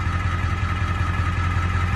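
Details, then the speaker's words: 7.3 Powerstroke diesel warming at idle after IPR replacement: a smooth, even, quieter low clatter with no ticking. The quieter running may be because the filter is no longer plugged; the owner suspects CCV blow-by is causing oil smoke. "And man, guys, it seems to be running so much quieter. Of course, that could also be because it doesn't have a plugged up filter, so that could help."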